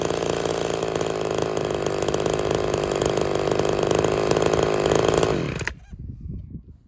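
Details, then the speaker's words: Ported Homelite XL-76 chainsaw after fuel system work and a new fuel filter, to cure fuel starvation. A strong, steady high-revving 2-stroke buzz that holds clean for about five seconds then shuts down; it now runs properly. "well there she is she's actually working I wasn't expecting that"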